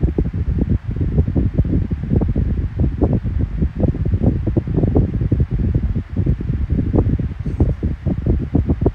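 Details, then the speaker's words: Kool-Flo SFC2-300B 12-inch three-blade high-velocity fan, running after oil worked into the bearings. Steady low rush of air with soft buffeting; the bearing noise is gone, with a hum on low and medium but none on high. Normal running. "It no longer has that bearing issue now. Finally went away because the oil was kicked in. But it does have the hum on low and medium, but on high you don't have the hum."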